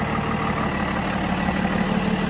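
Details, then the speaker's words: 2017 Freightliner M2 Champion Defender shuttle bus with Cummins diesel, 47,918 miles, heard idling from outside: smooth, quiet, even rumble with no knocks or rattles; normal. "Listen to that Cummins engine purr. Sounds pretty good. Nice and quiet."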